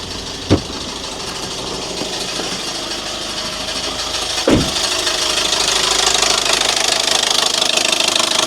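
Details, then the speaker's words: 2014 Audi A1 1.4 TFSI S line after gearbox replacement, new clutch, driveshafts and oil service, cold start: two sharp knocks then a busy metallic rattle at idle growing louder; owner suspects gearbox or new clutch. "Well, that was a cold start. It's a little bit noisy."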